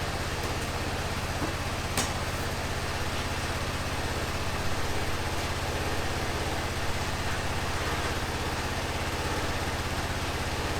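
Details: 2005 Honda TRX650 Rincon, 650cc single four-stroke, revived non-runner, just started cold on choke in neutral: an even, steady idle at about three beats a second with no misses or knocks. Healthy; the carb may need slight tuning.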